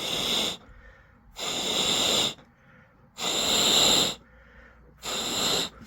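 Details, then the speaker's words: Honeywell water heater gas control valve on hot, air blown through after main burner valve click: strong hissing bursts roughly every two seconds, much louder than pilot side; main burner flow path open and healthy. "you hear a big difference between the the pilot side and the the burner side it's much louder"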